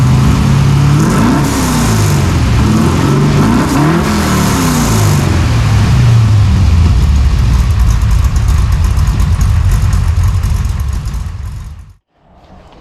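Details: 1968 Chevy Nova SS V8 with new Flowmonster 409 stainless straight-through mufflers replacing the leaking chambered exhaust, no tailpipes yet: deep, even rumble with clean blips rising and settling, then shut off; no ticks or leaks, healthy.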